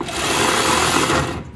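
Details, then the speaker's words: 1961 Morris Minor pickup, first attempt after sitting, using the starter switch button: high, fast electric whir, engine not turning, then spins down. Starter is freewheeling without engaging the flywheel; weak battery connection or ground suspected. "the starters turning but it's not turning the engine it's not engaging with the flywheel"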